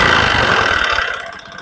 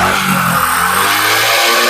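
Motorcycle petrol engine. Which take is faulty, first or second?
first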